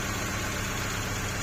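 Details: 2nd-gen Honda CR-V idling with a steady beat and a faint uneven stumble; pulling coils one by one showed cylinder 1 dead while 2–4 were good, so a failed ignition coil was suspected of causing the misfire and a new one was obtained.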